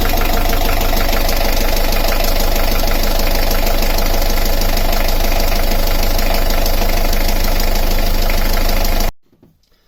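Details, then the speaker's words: Beta Marine 38 narrowboat diesel idling with alternator belt disconnected: steady light tapping rattle still present, then abrupt shutoff; alternator is new and its bearings feel fine. "I've got something tapping and rattling around this area."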